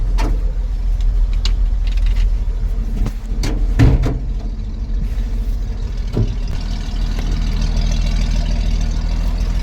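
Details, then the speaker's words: 1963 Chevy 2-ton dump truck, 292 six-cylinder, 4-speed, sat about 15 years, points cleaned, timing set, carb bowl primed: steady rumble with some knocks and clatter, keeps running; owner wonders if it picked up very old tank fuel. "Almost sounds like she's running. I wonder if it picked it up. I wonder if it picked that fuel up. Well, it's running longer than any of the other bowl fills have ran."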